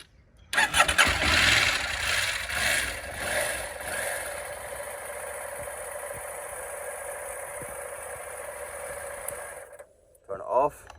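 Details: KTM 890 Adventure with an intermittent immobiliser no-start fault, started with the ignition on and the side stand used: starter spins briefly, the engine catches cleanly and settles into a steady, even idle until switched off; normal start.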